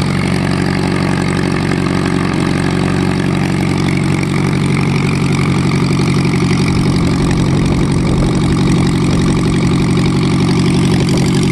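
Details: VW Type 1 air-cooled engine on its first run after new valve adjustment screws: even, steady idle with a low thrum and light, regular valve patter, no missing or loud tapping; sounds healthy.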